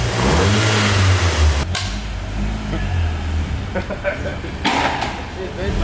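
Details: Cheap Audi S3 after an engine swap, first start-up: catches and revs cleanly, settles to an even idle with no knocks or misses; healthy.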